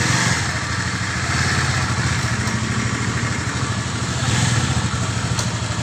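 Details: Honda CB150 Old after full engine teardown and rebuild for a seized connecting rod/piston: even, steady putter at idle with no knocking or bottom-end rattle; healthy idle.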